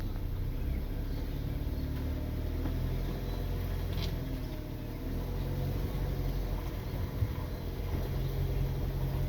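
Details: Hyundai Veloster road test pulling away forward, reproducing an owner complaint: even engine and road rumble, no squeal or chirp; no noise reproduced.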